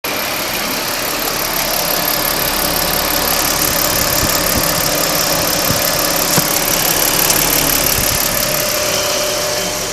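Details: 2009 Ford Falcon FG XT petrol engine running: steady light ticking about three per second over hissy mechanical hum, heard at right side of engine; cause unknown.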